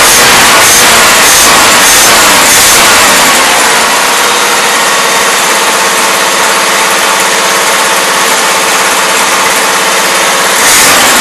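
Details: 1977 Toyota Celica, Weber carburetor: loud, steady, slightly rough idle with a hollow burble; loading up rich despite mixture screw fully in; no blow-by or smoke.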